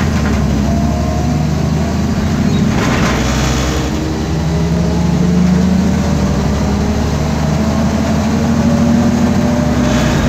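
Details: 2010 MAN Lion's Classic CNG city bus, MAN D2876 LUH02 EEV 290 hp engine, ZF Ecomat 6HP504C gearbox, driving in service: faint steady whine rising and falling with road speed under engine drone; noisy differential.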